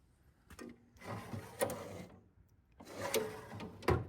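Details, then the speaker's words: Snap-on KR650 36-inch toolbox drawer: two gritty metallic scraping strokes as the drawer travels on rusty, dry friction slides; owner plans cleaning, Deox rust removal and lubrication. "So, I think just a little clean up on them, a little Deox, some lubrication, and they'll be in great shape. You can hear them just grinding a little."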